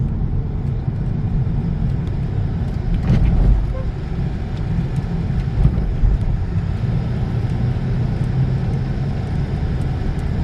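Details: 2012 Peugeot 308 1.6 test drive after repair: the right-side knocking and rubbing, traced to a failed Z-rod (stabilizer link), is gone after its replacement; steady road rumble with no rubbing or clunks over bumps, quiet suspension.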